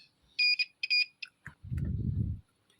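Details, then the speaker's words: Dead car tweeter speaker under a multimeter buzzer continuity test on the coil winding leads: several short, high beeps as the probes touch, then handling rumble. Continuity is confirmed, though one winding lead was found broken where it joins. "Nanti dia kalau nyambung harusnya bunyi buzzernya. Bentar. Nah, tuh bunyinya gitu harusnya ya."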